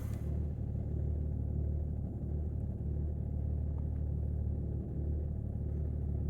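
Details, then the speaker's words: 2008 BMW 330d diesel, cold start at about 10–12°, heard from the driver's seat: deep, lumpy, uneven idle with dips and smoke for the first minute; glow plug activation faults logged. "I don't know if you can hear it. A little bit lumpy. Uh I can feel it sort of sat in this seat."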